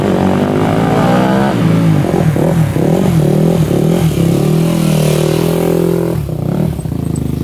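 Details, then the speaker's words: 2001 Yamaha WR250F street-legal dirt bike after rebuild, hard to kick over: fires on kickstart, revs unevenly about six seconds, then dies; earlier ran after bump start, possibly lean jetting; owner suspects valves not seating. "all right she fired up with kickart a just stopped what the heck"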